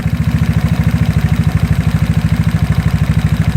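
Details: GY6 scooter engine with a PWK carburettor and fuel nearly empty: idle screw turned counterclockwise sets the idle too low, giving a slow, lumpy, vibrating idle with a heavy pulse about three times a second. Rough idle from idle speed set too low.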